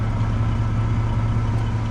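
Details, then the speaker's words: Lowered Chevy S10 idling after the rear brakes were replaced and the exhaust fixed: a deep, even low rumble with no ticks, knocks or rattles. Engine and exhaust sound healthy. "And then as you can hear that rumble that it has, that's the rumble I'm talking about."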